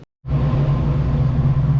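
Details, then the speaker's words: 1986 Mustang GT fox body, 408 stroker V8 with Holley EFI and MSD coil, running outside after locked-up oil pump repair, with wind noise: deep, lumpy steady idle with even pulses and no knocking or ticking. "i'm gonna do a little walk around let you guys listen to it it sounds good it does have a holley efi system on it"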